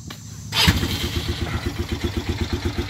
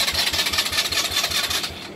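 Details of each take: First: 2018 Polaris Phoenix 200 ATV back from the dealer after the carburetor was fixed for stalling and no-start: catches first try and settles into an even single-cylinder putter, about six beats a second; normal start and idle. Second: 2018 Polaris Phoenix 200 ATV that kept stalling, after sitting nine hours. Quick even cranking, about six beats a second, never catches. The dealer found the cause was a wrong carburetor needle clip setting, not the starter.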